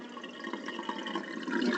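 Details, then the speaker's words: Sears Kenmore dishwasher after a clogged drain tube was cleaned, cancel pressed to start draining: steady rush of water swelling toward the end, no grinding or rattle; drain pump moving water freely, fixed. "we're going to press cancel to get the drainage working and we should see water shootout or noises of the water right there"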